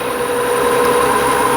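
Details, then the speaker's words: BMW 335i twin-turbo, revs raised with the throttle propped down, listened through a stethoscope: whoosh, then a steady mid-pitched hum and groan rising with revs; noise possibly from the belt tensioner bearing. "as it revs up you can hear it more and there's the groaning"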